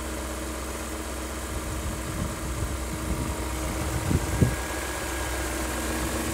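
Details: BMW E39 M5 at idle, owner worried about a rattle: steady low idle with a light, even mechanical rattle on top; concluded to be its normal sound, with oil separators and upper hoses since replaced over black smoke.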